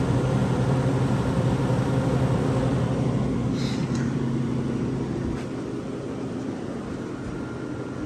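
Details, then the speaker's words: Vintage Westinghouse 10,000 BTU A/C, R22, possibly around 1975, on high cool, mic at rear near compressor and condenser: steady low hum with faint even whine, quieting slightly after a few seconds; compressor running normally. "gets pretty quiet once it's uh running here"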